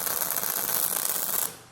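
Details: MIG welding suspension link mounts on a 1962 Jeep Willys: harsh, hissy frying crackle with no steady buzz, cutting off after 1.5 seconds; wire feed too fast for the amperage set.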